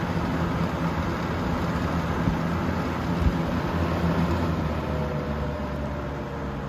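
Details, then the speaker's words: 3-speed fan on high, motor previously repaired after falling apart; steady low droning hum with airy rush, very loud motor hum which owner attributes to its many hours of use. "And this one's got a real loud motor hum because it's got so many hours on it."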